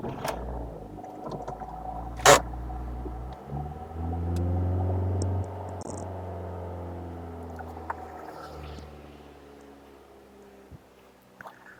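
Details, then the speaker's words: High-mileage Ford Focus, cold start with exhaust watched: it comes up at a raised, fast idle, then drops back to a steady, even idle with no knock, lifter noise or smoke. The owner wonders whether the high cold idle needs adjusting. "is that it idles pretty high on startup when it's cold, but then it calms right down as you hear it now and no issues."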